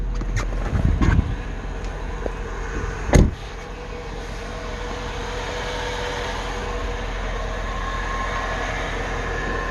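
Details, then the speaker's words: Mercedes-Benz at idle with hood open after pulley work: steady low hum with a faint even whir; whirring source unknown. "it's like a whirring sound"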